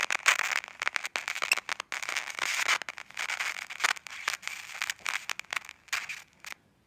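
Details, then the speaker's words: Old Nokia flip phone after water damage and drying, battery plugged in: irregular bursts of sharp dry crackle and static from the glitching speaker. "So if we plug the battery in, you can hear speaker crackling, and our wee light just came on again."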